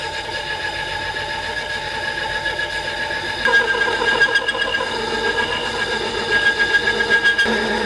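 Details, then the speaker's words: Compact DIY combination lathe/mill turning a brass part for a 5-axis CNC: whining cut with a buzzy rattling chatter that turns harsher partway through, caused by loose bolts holding the X axis. "Quelque chose ne va pas. Ce son est quelque chose qui ne va pas. Les boulons retenant l'axe X étaient desserrés."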